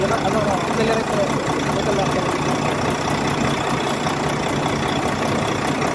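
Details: Volvo truck diesel (D13) idling steadily with a light, fast metallic ticking over it; engine ticking attributed to valve clearance and injectors needing adjustment.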